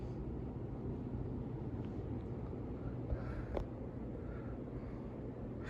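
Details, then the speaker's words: Fasco 3rd-generation ceiling fan running on high speed. Soft, even rush of air with a low steady hum and no clicks or wobble. Runs smoothly and moves plenty of air. "Let's go to high. All right, let's do high speed. It's got a good high speed too. It flies."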